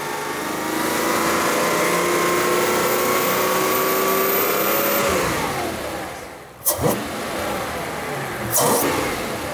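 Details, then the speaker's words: Mercedes CL65 AMG V12 with the intake Y-piece removed to watch the throttle body, suspected faulty: engine revs up with a smooth rising pitch and drops back cleanly; throttle opens, boost even on both sides, no fault heard. "more it's opening oh yeah all right that works I mean this thing is making boost feels very equal on both sides the intercooler everything seems normal"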